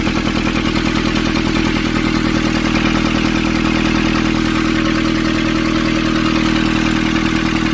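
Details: 2015 Nissan Urvan ZD30 diesel after its no-start was fixed by cleaning a black, dirt-clogged part: steady, even diesel clatter at a settled idle, no misses or hunting; idling cleanly and healthy.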